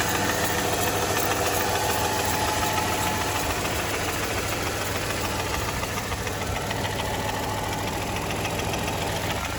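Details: 2007 Mercedes E280 with 3.0L M272 engine, built after the balance shaft fix; steady idle with a light, fast, even tapping over the engine hum, cause unknown; engine knock at idle.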